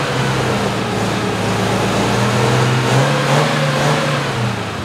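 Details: 1973 MG Midget parked over 40 years, oil leak and timing addressed, good oil pressure: old four-cylinder runs steadily with even beat and light revving, no misses or knocks; normal running.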